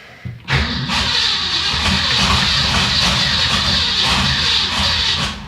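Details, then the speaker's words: Ford Fairlane V8 with manual choke, not run in a while, started in neutral after pumping the gas pedal: catches abruptly, then runs loud and lumpy with uneven beat and wandering speed; rough running after start, owner suspects too much choke. "I think the choke might be on too much. Well, it is quite obvious this hadn't run in a while."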